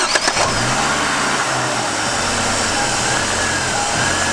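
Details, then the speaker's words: Warm petrol engine idling slightly rough, low hum wavering, after the brake booster vacuum hose was pulled off to feed Seafoam and smoke, an induced vacuum leak that is not massive. "you can hear that it's running a little rough that's not this kind of massive vacuum leak"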